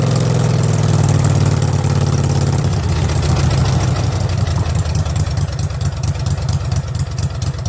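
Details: Craftsman garden tractor with Kohler Command 20.5 HP V-twin, just fitted with a fabricated exhaust elbow and straight pipe, started on half choke: loud, deep, even V-twin rumble with typical lope settling into steady idle; sounds healthy.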